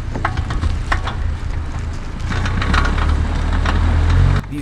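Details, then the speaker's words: MK6 VW Golf R accelerating while turning: sharp clicks, roughly three to four a second, over low engine and road rumble, from the front left with vibration through the steering, only on throttle; worn CV joint. "noises were very obviously coming from the front left I could also feel a vibration that coincided with the click through the steering the clicking and this vibration only happened while I was on throttle or accelerating and while I was turning"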